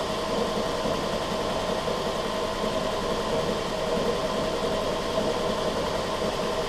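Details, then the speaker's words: 2002 Toyota Camry 2.4 four-cylinder, 220k miles, after new plugs, coils, valve cover and throttle body cleaning for low idle after battery disconnect: steady even idle hum, no misses or hunting during idle relearn. Normal idle. "so it's going through its idle relearn process now"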